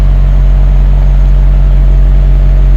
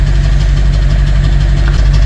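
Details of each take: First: BMW 740Li V8 at cold idle, 1–2 minutes after start, after new spark plugs and coolant and oil service: deep, smooth, even rumble. The cold-start shudder heard before repair is gone; idle is now normal. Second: BMW 740Li V8 with cold-start vibration: low exhaust note at idle with uneven puffing beat and dropped pulses; misfire with P0300 code persisting after spark plugs replaced (wrong heat range found), coil suspected.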